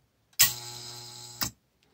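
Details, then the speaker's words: New Hydrolevel VXT-120 steam boiler water feeder on a bench test after pressing the feed button: sharp click, about a second of steady low buzz, then a second click. Feed valve works normally. "So we're going to go ahead and press the feed button here, and we should hear a click, and there's a buzz."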